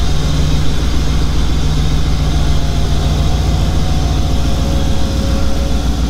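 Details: Model A hot rod with a 350 horsepower V8; deep, steady, lumpy burble with no knocks or ticks, 80 psi oil pressure; healthy idle.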